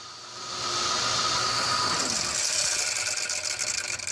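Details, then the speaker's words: Ford Crown Victoria P71 alternator, typical failure on these cars: steady high-pitched whine over faint engine hum, alternator suspected on its way out, not confirmed. "when buying a piece 71 get ready to replace your alternator this is the alternator right there you guys are gonna listen to it"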